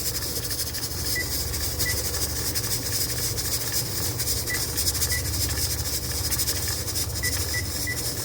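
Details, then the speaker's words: Pressure canner canning ground beef under 1,000 ft elevation with a 10 lb weighted gauge: steady steam hiss with the weight rocking in a loose, even rhythm. Normal full pressure, the point to start the timer. "All right, so our weighted gauge is now rocking. So when it looks and sounds like this, you're going to set your timer."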